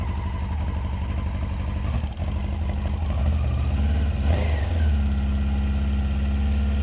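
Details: Two-cylinder carbureted motorcycle, cold start; deep uneven idle that sags and recovers with a dip near two seconds; rough cold idle, needs to warm up.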